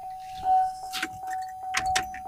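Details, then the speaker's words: 2003 Chevy Suburban new fuel pump bench-tested in the tank, primed, outlet into a gas can: even, steady mid-pitched whine through handling clatter; pump running and fuel flowing properly. "Ready to kick on. And she's flowing. Oh, yeah. We're good to go."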